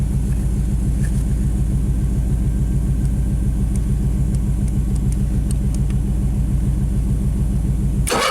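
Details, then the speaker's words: Carbureted onboard generator on a 1995 Pace Arrow Coronado motorhome (Chevy chassis), cranked with the throttle worked by hand: even cranking at about 3.5 beats per second for eight seconds. Wet fuel is seen at the fuel filter; it came very close but never fires. "There's some, you can see, wet fuel, so cranking it over definitely, I think it wants to start."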